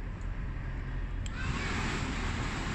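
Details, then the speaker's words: Blower motor removed from a 2003–2007 Honda Accord and powered straight from the battery: steady, even whoosh at full speed with no rubbing or ticking. The motor is fine, which confirms a blown blower resistor (power transistor) as the cause of no airflow. "so you can see this is actually spinning at the highest speed this definitely confirms a blown resistor"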